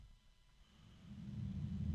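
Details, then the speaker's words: Barrow RGB full-color 120 mm fan (BF4 PR) with 6-pin Dupont PWM/ARGB connector: low droning hum swells as the fan spins up, rising in pitch into an uneven rumble over wind noise; odd fan hum, cause unclear. "but that sound I'm glad this would be inside of a computer case because sitting next to my ear I would get I would either have to tune it out uh or turn it off because it's just like a very odd noise"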